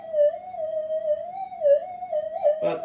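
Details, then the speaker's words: Modified GPX metal detector on the bench, switched to mono mode; wavering whistle drifting around one pitch with brief crackle; mains interference pickup. "Okay, the detector's in mono. Now, it's going to pick up interference, of course."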